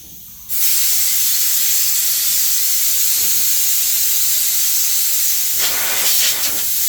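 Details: Home workshop air compressor with homemade air dryer and fitted relief valve, tank deliberately blown off to show refill: sudden loud steady hiss of escaping air for several seconds; normal blow-off.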